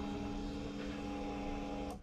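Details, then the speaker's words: Yamaha YFZ450R after rebuild, key turned on before first start: steady electric whirring hum for about two seconds, then cuts off cleanly. Normal fuel pump prime. "said I pump the fuel tank a couple times or no I don't know what do you mean pump the fuel tank the injector oh I don't know what that is you gotta Pump It Yourself no like when you turn it on you hear it"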